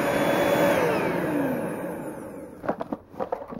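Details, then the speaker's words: Small Bissell household vacuum, reassembled after uncovered run, fins cut out with pocket knife for airflow: steady high whine, pitch slides down as it winds off, then handling knocks; motor runs normally. "now I'll turn it on once again it works had a section"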